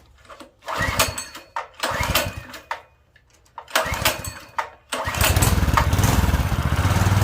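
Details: Predator 212cc 6.5 hp engine newly swapped into a mini bike, governor removed, new clutch, choke on: a few pull-cord rattles and false catches, then it fires and settles into a steady, even, fast run.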